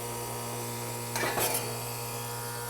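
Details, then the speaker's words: Outdoor AC condenser unit, cooling mode: steady low hum of the running compressor with no fan rush and a brief scrape as the fan is kickstarted with a screwdriver; fan still won't start, indicating a likely bad capacitor. "Okay, so since it does not start, it looks like we have a bad capacitor."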